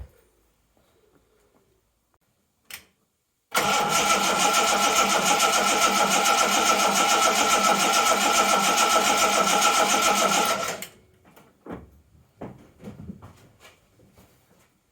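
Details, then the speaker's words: 1980 Reliant Scimitar GTE SE6A, stood about a month, battery just reconnected: starter spins the engine steadily at about three and a half beats a second for seven seconds, never catches. Crank no start from fuel starvation due to a leaking fuel line; spark check next. "Okay, well that's a big fat no then. Okay, right, next task. Check, see if we've got a spark."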